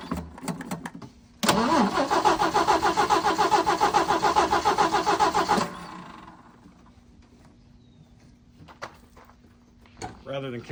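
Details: 1979 Jeep CJ5 that sat since 2019, cranked on a charged battery while the fuel filter was still filling. The starter spins the engine at an even rhythm for about four seconds but it never fires; cranks without starting, cause not confirmed.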